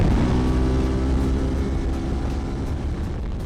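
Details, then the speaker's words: CFMOTO 450MT (Ibex 450) after 20,000 km and 12 months of hard use: strong rev that falls away cleanly and evenly with no knocks, rattles or misses; normal engine revving, no gearbox, engine or clutch issues found. "After riding all that harsh 20,000km, honestly, I didn't find any issue with the gearbox, with the engine, with the chassis. And listen to that."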